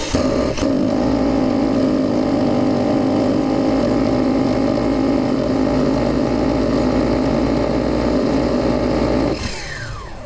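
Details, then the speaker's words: Nitro RC cage buggy engine, started after warming and priming with the glow plug loosened: loud buzzing that runs rough and uneven for about nine seconds, then dies away; poor running, cause unknown. "Well, that doesn't seem very good, does it? Oh deary me."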